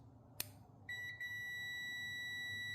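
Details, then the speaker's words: Car relay test on a 2G Eclipse GSX fuel pump rewire: 12 V applied to the coil, a sharp click as terminals 30 and 87 close, then a steady multimeter continuity beep. "now uh now I hook up the wires so 30 and 87 this is 30 and this is 87 and uh you're going to hear my multimeter beeping when I apply some 12 Vols"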